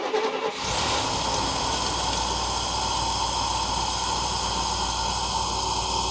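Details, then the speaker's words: 1972 Mercedes 280SE 4.5 with D-Jetronic injection, stored since 2011, started with starting fluid as fuel system was empty: brief crank, then catches cleanly and settles into steady even idle; healthy start. "Woohoo! Not bad. Coming out of storage since 2011."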